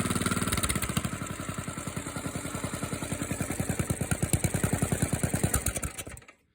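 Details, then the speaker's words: Small single-cylinder engine idling after a choked cold start, having sat 2-3 hours in mild weather; a loud, steady chuff at about three beats a second, even and unbroken until shut-off. It is a healthy idle. "We're in pretty good shape, I guess. So yeah, it's running good, sounds good."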